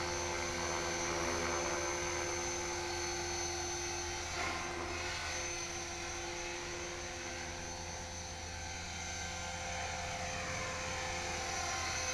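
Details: HK-450GT electric RC helicopter after rebuild, gentle test flight at dusk, trimmed well enough to hover without touching the sticks. Smooth, steady rotor beat with an even high motor whine holding pitch. Normal hover.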